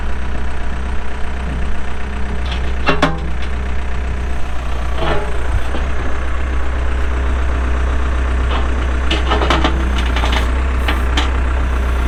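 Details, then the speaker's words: 2007 Case 580M Series II backhoe diesel, pre-emissions, 3,812 hours: deep, steady idle with an even low thrum and only brief clanks around it; starts and runs good, engine sounds healthy. "3,812 hours on a working hour meter starts up and runs good Hydraulics are strong"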